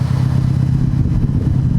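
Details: Mitsubishi Evo X being revved hard after new coil packs fixed a misfire; deep, steady note with even firing and no stumble or popping, and the check engine light went off by itself.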